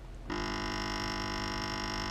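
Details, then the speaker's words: 12 V 8 A RMS car battery charger (rated 4.75 A continuous) on the bench, switched on: loud steady buzzing hum holding flat, output on multimeter only about 4 volts and dropping; buzzing hum with low output. "I'll show you what it's doing listen to that noise not a good noise"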